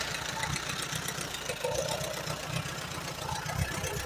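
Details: 1938 Allis Chalmers B with Waukesha gasoline engine: uneven, lumpy idle with irregular firing pulses and stumbling beats. It keeps running only on choke, plugs are slightly rich, and the carburetor needs a rebuild.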